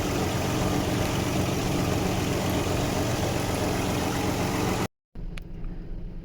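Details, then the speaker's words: 1995 Nissan D21 Hardbody VG30E after bypassing the idle air control (AAC/IAC) valve to cure idle surging between 1,000 and 2,000 rpm: steady, even low idle with rpm holding flat, no hunting or surging. "So now no more idle issue. It's idling nice and smooth now."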